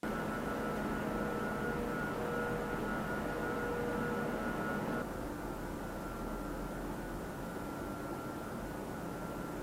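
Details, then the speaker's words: Cyberpower Ultra R77 Pro PC in a 3000D Airflow case. Its included RGB front fans give an airy rush with a whiny, resonating hum at 1800 RPM on the default curve, then drop to a calmer whoosh at a fixed 1000 RPM. "The included RGB front fans in the 3000D airflow are not of the greatest quality, and while spinning at 1800 RPM, they do emit quite a whiny, resonating hum."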